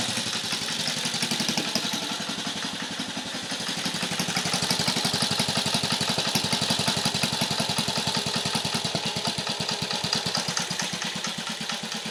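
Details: 1950 REO engine, freshly revived, carburetor turned down with a screwdriver to a very low idle (these reportedly idle real low): slow, even put-put about three beats a second, no misses; healthy low idle.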